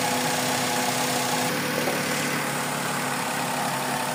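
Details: Suzuki Celerio with a misfire, at idle with the air conditioning on: an uneven, loose beat about twice a second under a steady hum, the speed fluctuating, and the exhaust puffing unevenly. Rough idle persists.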